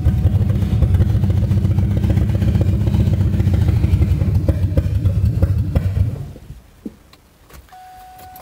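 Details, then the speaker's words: 2002 Ford Mustang GT, third start attempt: engine catches and runs with a low, lumpy beat for about six seconds, then fades and dies; fuel pressure dropped to 19, owner suspects pump can't hold pressure. "all i know is that uh hold on fuel pressure went down to 19. so maybe maybe it can't hold fuel pressure it runs maybe you know what i wish i had set my camera up right here to check that"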